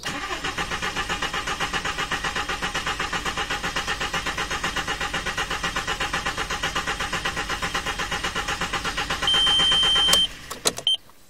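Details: VW Bora after fault-finding on the rear number plate lights, error code 17989: steady starter cranking at about four compression beats per second for ten seconds, never fires; crank no-start.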